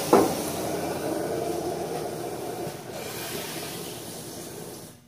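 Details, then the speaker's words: Samsung front-load washer test wash after replacing the rear drum spider and shaft seal (bearings still good): steady rushing hiss of water filling the tub for about five seconds then tapering off, no leaks seen; normal water fill. "so i can see things are wet in there and i can feel more water getting in the tub so let me see if there's any leaks okay so far so good"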